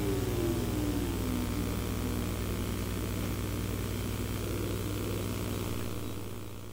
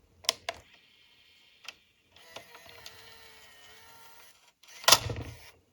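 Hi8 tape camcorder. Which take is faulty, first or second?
second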